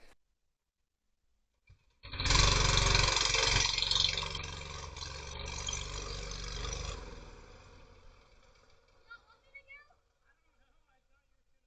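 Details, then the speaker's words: Murray Explorer go-kart with a newer small engine, no key, being revived: fires and immediately screams at full speed without settling, then dies when killed at the rear kill switch; throttle stuck. "Jack wasn't killing it up front because he didn't realize the throttle was stuck it was very apparent the throttle was stuck from back here"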